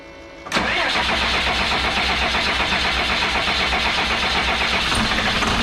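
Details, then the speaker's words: 2001 Freightliner bus conversion with 24-valve Cummins diesel, just after fuel filter change and bleeding: quick crank, catches and settles to a steady, slightly rough idle; a little crabby starting from air left in the fuel system. "see now if she wants to go it'll be a little crabby when it starts but it'll start"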